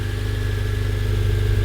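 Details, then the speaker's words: 2011 8th-gen Honda Civic Si after crank pulley replacement (36 ft-lb plus 90°, belt refitted): smooth steady low idle hum, no clock or knock; earlier knocking sound gone, sounds quieter and in harmony. Normal idle. "So it sounds more cleaner, right? It sounds like more harmony, everything moving together."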